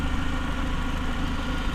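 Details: Renault Clio 182 after timing belts and dephaser replaced; low steady idle rumble with even firing, no knocks or ticks; engine smoother than before and healthy.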